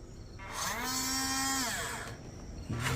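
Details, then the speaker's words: Huina 1583 RC front-end loader whose front drive does not work, with only one wheel turning after rough shipping. The small motor whine rises and holds a steady pitch with no gear load, as the pinion gear slips loose on the motor shaft. "if you just lay your finger on it that's it I can feel something spinning in there but only only one tire is going so if you add any pressure what I'm hoping is that something is as simple as a pinion gear"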